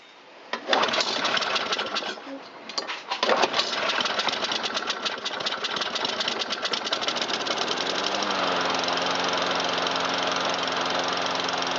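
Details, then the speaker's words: 2009 Troy-Bilt 12AI839G211 mower with Briggs 111P02-0693-F1 engine, a long-sat discarded unit, test run after carburetor passage cleaning; the pull start catches quickly, then a busy, even buzz at full throttle settles into a steady drone; runs healthy. "It starts nice and it runs good."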